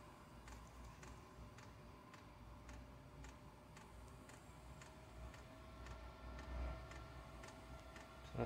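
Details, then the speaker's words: Diesel heater switched from kerosene to 100% biodiesel, at startup: faint sharp dosing-pump ticks about every two seconds over a quiet fan hum, quickening as it lights in the burn chamber; normal fuel pump ticking. "right that's a pump kicked in just now so I can hear it attempting to fire up in the burn chamber pump's getting a bit faster"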